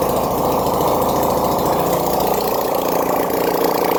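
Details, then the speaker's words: 1971 Honda CD175 K3 twin being restored, first start after an issue fixed: loud, steady twin-cylinder idle with an even beat and no misses; normal idle. "Well, oh boy, am I over the moon about that. Uh, happy ending to a happy weekend, guys. She's running."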